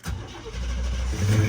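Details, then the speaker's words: 1987 Suburban with throttle body injection that had no injector pulse; wires melted together. Now it catches and runs smooth with a steady low rumble, no misses or knocks; sounds healthy. "But you can hear, I mean, it just runs great. Real good and smooth."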